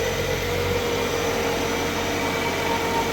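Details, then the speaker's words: Kia Spectra engine idling after cylinder head replacement and reassembly: steady even hum with no knocks, ticks or misses; running like it should, normal idle. "Now you got everything put back together, you're good to start it up. Check for leaks."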